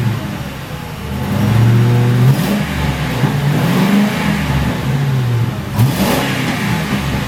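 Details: 2006 Ford Crown Victoria P71 V8, stock mufflers before internal boring mod, revved and heard from behind: deep smooth rumble rising and falling with each blip, no rasp or rattle; healthy stock exhaust.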